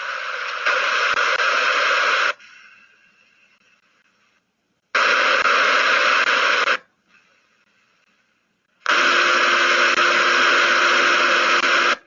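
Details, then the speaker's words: Ultrasound listening on a hydraulic directional control valve: loud steady hiss in bursts while passing, then faint crackling continues after the valve is supposedly shut off instead of a clean cutoff, showing fluid bypassing inside the valve as internal leakage. "the important thing was the crackling that happens after its supposedly shut off that that's your internal leakage okay so"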